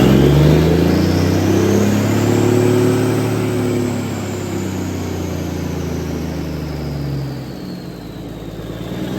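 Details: 1978 International Transtar II cabover diesel, first start after sitting 3 years during restoration: revs swell up and ease back down with an even, steady drone, no knocking or stumbling; sounds healthy.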